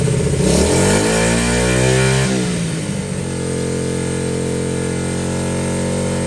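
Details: Honda XL70 K0, cold start on choke in mid-40s °F weather, 6-volt battery: blips up then settles to a steady thumping idle around three and a half beats a second; normal cold idle warming up.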